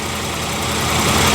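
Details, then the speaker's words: 1994 Jaguar XJ6 after replacing the failed igniter with a GM Vortec ignition control module: even, steady idle with a low rumble, no stumble or misfire; crank no-start fixed. "Well, there it is running. I'm going to let it run tomorrow and see how hot that module gets."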